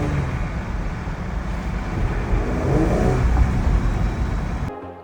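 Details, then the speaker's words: Jeep Gladiator Rubicon (JT) with a newly installed Bravo snorkel from the airbox via the cowl; under throttle on a drive a breathy intake rush swells with revs, the snorkel breathing as expected: normal intake whoosh, nothing wrong. "Well, it definitely makes snorkeling noises now."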